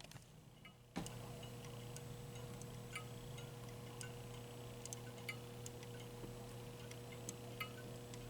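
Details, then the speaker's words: Bally Monte Carlo electromechanical pinball machine: small sharp clicks at uneven intervals over a steady hum from self-blinking flasher bulbs whose heated filaments snap open and closed, working normally. "so you can hear the little filament clicking inside as it opens up so it's just uh it's just Again part of the the charm that that is lost right"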